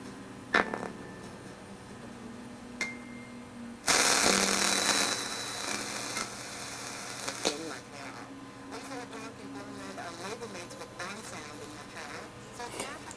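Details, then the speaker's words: Thrift store clock radio on FM: rough, buzzy, raspy distorted speaker output over the program; suspected bad capacitors or speaker damaged by prolonged high volume, unconfirmed. "either it's not either it's distorting because of some internal problems like possibly capacitors it could be bad capacitors what happens or it's bad because the speaker was cranked up a little bit too high for a little bit too long"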